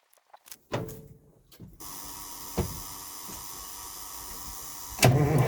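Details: Old diesel truck, cold weather, fitted with muffler: handling clunks then steady crank catching into loud diesel clatter; starts right up after new batteries replaced weak ones.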